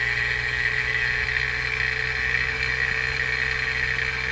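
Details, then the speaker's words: NAVAC NP4DLM cordless 4cfm dual-stage brushless vacuum pump starting on an HVAC system with the gas ballast open: a steady, even high-pitched whir over a constant hum, with no surging or knocking, pulling down normally. "and then turn the pump on you can hear it starting up super quiet"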